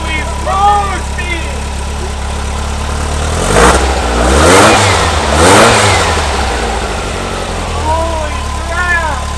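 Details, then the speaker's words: Brand-new engine just installed in a 1970 VW Bus, first start, with spilled oil burning off the exhaust: a steady air-cooled idle with two clean throttle blips that rise and settle smoothly, no knocks or misses; the engine runs healthy. "it's just burning it sounds so good we did it you can hardly hear me probably it's loud listen to this"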